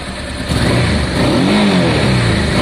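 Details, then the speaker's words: Honda Deauville twin after carburetor clean, choke on, fuel pump reconnected, first start-up: revs cleanly from a steady idle, pitch rising smoothly with no misses or knocks; sounds smooth, healthy engine. "That sounds very good. Sounds smooth."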